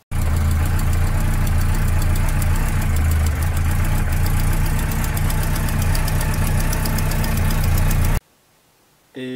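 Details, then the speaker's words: Yamaha XJR motorcycle idling after restart: an uneven ticking puff over the idle that wasn't there before. Owner suspects an exhaust leak at the 2nd or 3rd cylinder but feels no air along the pipe, and has ordered new exhaust gaskets. "ce bruit je l'avais pas pas avant et ça ressemble à une bruit de fuite d'échappement"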